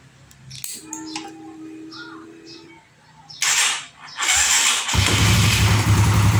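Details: Honda CB150R/Sonic/Supra GTR-type engine, start after setting camshaft top timing and reinstalling it in the frame: quiet start, then steady even idle with a low regular beat, no knocks. Normal idle.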